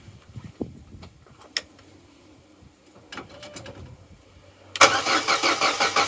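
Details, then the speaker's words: Opel/Vauxhall Corsa B sat neglected 4-5 years, new battery fitted: fast, strong, even cranking with steady pulses, healthy turnover but no start; pumping the accelerator changed the note only slightly. "that's a good healthy turnover good healthy crank but no go"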